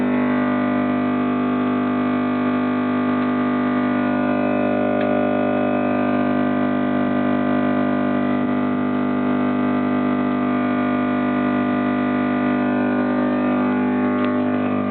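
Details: PC (i5-2400, ASUS H61M-LE-USB3, FSP Aurum 600W, Sapphire HD 7870, all stock, Win 7) during a black-screen crash after long Battlefield 3 play: loud steady multi-pitched buzz that stops abruptly after about 18 seconds. Cause unknown; owner suspects the 7870 card.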